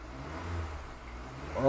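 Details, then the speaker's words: Kia Optima after first rod bearing replacement, thick oil kept for break-in: steady low engine note then clean smooth climb in pitch on throttle, no rod knock; shifting better, repair worked. "she's definitely shifting a lot better than she did there's no more rod knock"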